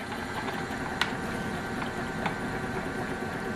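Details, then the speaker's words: Refurbished compressor from an old Frigidaire Multicold refrigerator, belt-driven by a motor on a test stand for seal break-in, outlet restricted to build slight pressure: quiet steady hum, light patter, soft ticks, no knocking; running normally. "can see pointers jumping around because there's pumping action going on."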